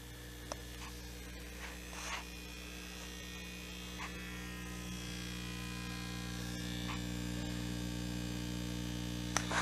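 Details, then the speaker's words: Home-built valve amp on first power-up: a steady low mains hum with buzzy overtones grows as the tubes warm. The builder believes he knows the source; the cause is not confirmed. "As it heats up, you're starting to hear a hum. I know where that's coming from."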